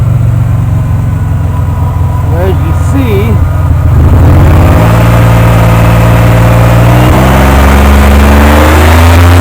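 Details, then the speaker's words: 1998 Oldsmobile Delta 88 with a cylinder 3 misfire code despite new plugs, wires and coil packs: revs climb with an uneven stumbling pulse about three times a second; plug wires tight, source of the skip unknown. "I'm trying to figure out where that skipping is coming from I got my check engine L design and it's showing as a cylinder 3 this fire"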